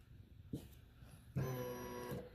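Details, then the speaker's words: Aftermarket high-performance electric fuel pump jumped directly to an external battery: after a click, a steady whir starts, pump running normally; original wiring suspected too small; pressure then reached 65 psi and held. "you can see I've got the wires jumped there positive negative I got an external battery source let's see what happens here listen okay we got a pump can you hear it"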